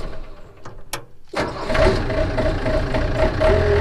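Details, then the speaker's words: 1991 Yanmar B50 excavator diesel after warning buzzer/temperature light wiring repair: clatter at start then steady rumbling idle, no buzzer after starting; warning circuit normal, low oil pressure alarm tested working. "so ignition on so we have warning so start it up no buzzer"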